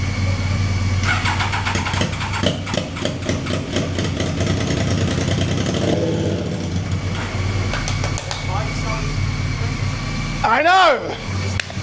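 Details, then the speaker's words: Triumph Daytona 955i project bike on its first run after the forgotten injectors were connected, with no exhaust pipe fitted. A loud, ragged bark with uneven pops and unsettled revs is rough running, possibly a misfire (suspected). "It sounds like It sounds like there's 10 quad bikes lined up. >> But definitely when you start it, the thing goes. >> That's like could be misfiring."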